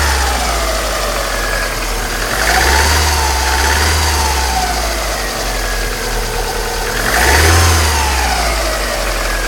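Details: 1995 Alfa Romeo 155 2.0 TS 16V: thin whine over the idle climbing in pitch as revs rise; alternator bearings suspected, not confirmed.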